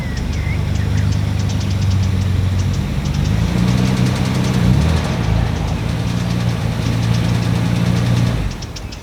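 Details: 1993 Nissan Skyline R32 GTR V-Spec idles low and steady with a faint quick tick coming from the cylinder head; top-end noise, cause not yet diagnosed.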